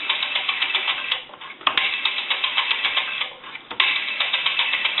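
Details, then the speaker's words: AE three-slot payphone rotary dial returning: rapid light clicking about four per second, uneven and dragging with brief pauses, hangs with resistance; dial needs cleaning, oiling and adjustment. "I can see that the rotary needs to be cleaned oiled and adjusted it's got some resistance in it and you can hear like it wants to try to hang"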